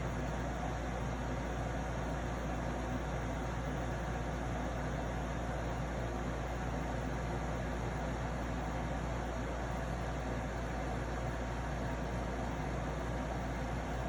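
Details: Arctic King 8,000 BTU (12,000 BTU Ashrae) air conditioner: steady low hum with coarse buzz from the compressor, no pitch change; owner suspects defective unit or mishandling.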